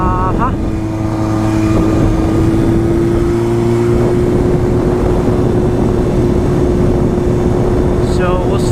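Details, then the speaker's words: Motorcycle test run after a transmission rebuild with the bad gears replaced. The Power Commander issue is believed fixed. The engine pulls cleanly with revs rising smoothly, no knocks or grinding, and it goes through the gears well. Normal running. "Seems to be all right. Goes through the gears pretty well. I'm pretty satisfied with that."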